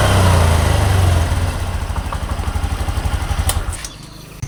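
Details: 2022 Honda Beat Deluxe scooter at steady idle, small even thumps about four a second, then dying away cleanly, after fixing a silent fuel pump (no error code), wiring chewed by rats; repaired without replacing parts, running normally.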